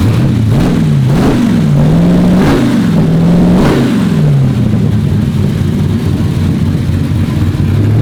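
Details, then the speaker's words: Turbo Chevy Nova engine, exhaust finished, oil clearances opened up after rebuild: blips up and settles cleanly several times, no knock or tick; runs healthy. "foreign thing sounds good dude I think it's gonna run pretty good too"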